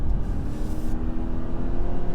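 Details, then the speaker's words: Subaru Forester hybrid CVT in S/SI drive, 20–60 mph acceleration test: loud, constant low drone with little pitch change as the CVT holds revs; a lot of noise and not much performance. "A lot of noise and not a lot of"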